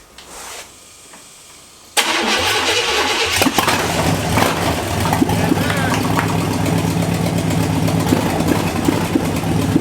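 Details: CJ-7 Jeep with Vortec 5.7 350 V8 swap, sat nearly 20 years, after rewiring, new fuel system and a new injector: short quiet spell, then catches at once and settles into a steady even idle with no misses or rattles.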